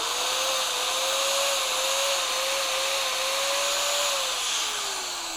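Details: Bosch GBM 320 corded electric drill, heavily used, after repair and reassembly, test run: even high motor whine holding steady then winding down smoothly on trigger release; drill healthy.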